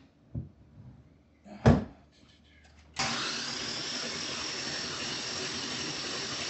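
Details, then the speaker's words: LS1 V8 swapped into C3 Corvette, first crank after starter wiring, full of oil, spark plugs removed: brief clicks then steady even starter whir without compression pulses; oil pressure good; normal cranking. "I'm gonna get in here and crank it a little bit more and the engine sounds weird because I have the spark plugs pulled out"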